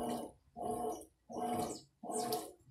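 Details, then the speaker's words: New Mueller Energy 8kg washing machine on its first wash cycle: water swishes in even surges about every 0.7 seconds as the agitator reverses, with no knocks or scraping; quiet machine with a sensitive microphone, normal agitation. "Esse barulhinho aí é porque o microfone é muito sensível, mas é bem silenciosa. E aí tá, começou o ciclo de lavagem."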